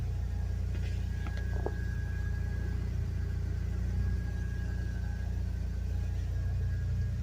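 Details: 1G DSM turbo car, fuel pressure 50 psi, boost about 12 psi, starting after a no-start traced to a clutch safety switch not engaging (missing rubber stopper); low even rumble at steady idle, no knock, misfire or surging; normal idle.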